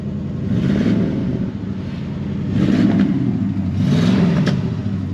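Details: 1965 Ford Fairlane 500, 289 V8, 31,410 miles: deep V8 note swells and falls with each throttle blip, smooth and even with no knocks or ticks; normal engine revving, healthy engine.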